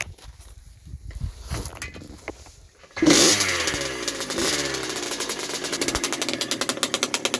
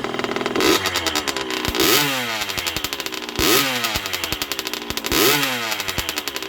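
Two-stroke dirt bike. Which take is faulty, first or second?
first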